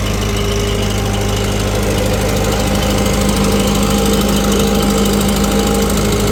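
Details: 1948 Farmall C tractor, former parade tractor, hot on a dyno, pulling 15 hp via PTO under load: heavy steady chuffing with sharp puffing tick each firing pulse, about 220 a minute; leaking exhaust manifold.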